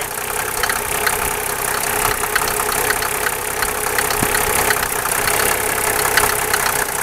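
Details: Mercedes 300SDL with 603 diesel engine idling with irregular sharp ticks and knocks over the clatter, about three per second; owner suspects valve cover area, possibly collapsed tappets.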